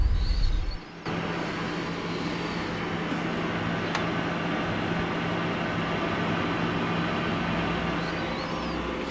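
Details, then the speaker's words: Frigidaire refrigerator, fridge section not cooling while freezer fine: after reinstalling evaporator fan and panel and plugging in, steady low hum with smooth even airflow, no ticking or scraping; evaporator fan running normally. "So reinstall, plug in a unit, and you should hear the fan running."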